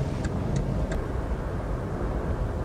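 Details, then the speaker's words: Small front-wheel-drive car road test at 80 km/h after repair, tyres slightly underinflated; only steady low road and tyre rumble, no growl or hum building with speed; the earlier noise is gone, wheel bearing quiet. "an 80 Kay's now I can't hear any noise whatsoever apart from normal road noise the tyres are down a little bit but obviously you're gonna get noise from that as well"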